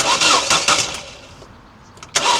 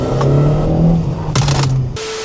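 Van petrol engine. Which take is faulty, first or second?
first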